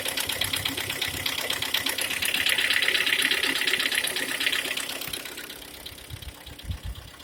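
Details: G4KD four-cylinder engine, 102,000 km, at idle: fast, fairly even light ticking knock about three per second over the engine; source not pinned down.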